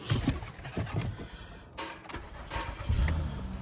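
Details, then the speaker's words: Partially repaired Honda listed as runs and drives, jump-started at a Copart auction: short starter whirr, then the engine catches at once and settles into an even idle with no misses; a healthy start. "Oh yeah. Oh yeah. Started right up."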